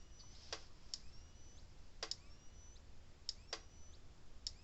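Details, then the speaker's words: 35+ year old Gallagher E12 electric fence charger on 12.9 V bench supply after opening: sharp dry clicks about one per second over a quiet hum; pulsing normally, tester later reads 8.3. "It's clicking. Sounds like it's working."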